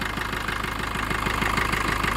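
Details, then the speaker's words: Maruti Vitara Brezza diesel after EGR valve cleaning, started to check for leaks: even, steady idle clatter with no misses, surging or extra noise, smoother than before cleaning; normal idle. "एकदम normal भर कर रहा है engine में कोई extra की आवाज भी नहीं आ रही है"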